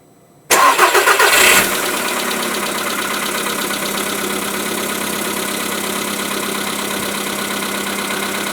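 Starts, then settles to idle with a faint regular tapping riding over the engine note; a knock whose cause isn't clear yet.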